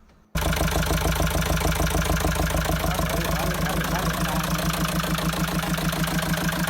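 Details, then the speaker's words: Mahindra XUV500 diesel before full engine overhaul; starts and settles into harsh, clattery idle with uneven tapping over the steady run; abnormal engine noise before rebuild (bores, pistons, rings, bearings, head, valves). "बनाने से पहले हमारे engine की कुछ noise ऐसी थी।"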